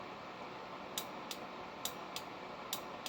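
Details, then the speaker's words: LB7 Duramax engine for an 88-98 Chevy NV4500 swap on a stand-alone harness: about six faint sharp clicks from the start relay once the clutch switch is tied to the start signal and power, confirming start enable. "Ah, there it is. You hear that? We got a start enable."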